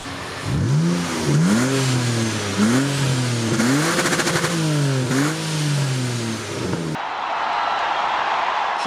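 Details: M54B30 in E39 donor, ahead of swap into BMW E28, after about half an hour running: several quick throttle blips rise and fall cleanly with crisp response, no misfire or rattle; slight exhaust condensation; revs freely and healthily.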